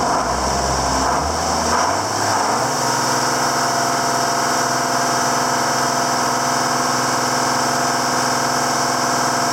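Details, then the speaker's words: 7410 diesel tractor at its first start after an in-frame engine rebuild, with the injector pump bled to the tips: a steady, smooth, unbroken diesel idle settles in with no knock, and it runs healthy. "So she's running. Get that far. We'll just go like so. She sounds good. She sounds good."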